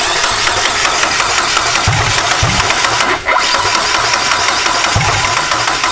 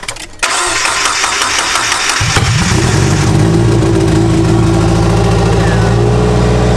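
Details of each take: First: JDM turbo Miata on MegaSquirt, first start attempt; cranks with a few uneven low thumps that never catch, RPM reading jumping 200 to 0, timing all over the place: no start from damaged crank pulley markings read by the crank position sensor. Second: JDM turbo Miata started in neutral with clutch in, after a fix with a Corvette part; cranks about two seconds, catches cleanly into a loud raspy but steady idle: normal idle, exhaust unfinished and open.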